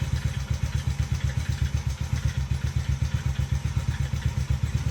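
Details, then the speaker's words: Taotao 125 single-cylinder, re-jetted, oil changed the day before, at idle: low thumping about four beats a second with a faint clatter riding on top. Top-end noise of unknown cause, prompting an engine inspection. "I just wonder what that noise is."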